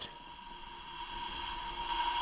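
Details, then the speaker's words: 2005 VW Golf 2.0L no-start, codes P0341 and P1349, timing belt jumped causing valve contact, leak-down test: steady air hiss heard at the intake building while cylinder holds pressure; intake valve leak. "if you're not putting enough air through to seal the piston rings you should never be having air coming out of the intake you can to hear that right"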